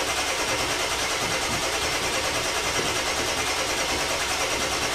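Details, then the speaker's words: 2000 Ford F250 7.3 Powerstroke diesel, first start after installing stage 1 injectors, glow plugs and UVCH, high-pressure oil system bled and fuel rails empty: continuous starter whir, even chugging about three beats a second, no firing; extended cranking. "i'm guessing it's going to take a little bit of cranking because we bled off all the oil in the high pressure oil system taking the injectors out and the fuel rails are empty right now"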